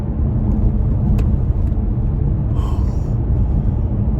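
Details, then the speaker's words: Kia Stinger driving over a bumpy stretch after electrical tape was added to the rear hatch bumpers; low steady road rumble with no hatch rattle or buzz, fix worked. "nothing not a single theme oh no that is wild that is wild okay wow okay well i've gotta say that that experiment worked and the answer for hatch rattle and the stingers seems to be a little bit of electrical tape"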